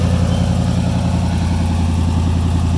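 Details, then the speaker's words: Free car started on a new battery: steady, even low rumble with no knocks or misses, idling cleanly; runs good-ish. "she runs good well good ish"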